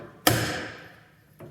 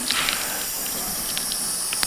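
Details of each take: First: ARB air locker after fixing compressor airline leak, one sharp ringing pop then fainter click; locker engaging cleanly, normal engagement. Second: ARB air locker system with compressor running and diff cover off: constant thin hiss of escaping air while the compressor cycles, traced to the differential locker seal housing; seal housing or seals to be removed and checked.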